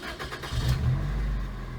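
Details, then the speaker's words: Geo Prizm with no stored or pending codes and readiness monitors passed: a brief crank, then the petrol engine starts at once and settles to a steady idle; an exhaust leak is noted afterward. "The car has no pending codes, no set codes, nothing. I mean, it starts up real good."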